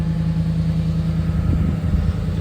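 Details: 2013 Ford F150 after fuel pump replacement (had cranked but not started, fuel pump control circuit open code), pump priming then idle: steady even smooth hum, no knocks, stumbles or whine; normal idle.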